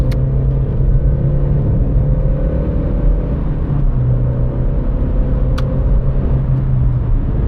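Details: '90s Opel Corsa B petrol after replacing the rusted exhaust pipe cat-to-muffler, driving at high revs on the motorway: steady deep drone, even and free of blowing or rasping; exhaust now sealed and quieter, though not quiet.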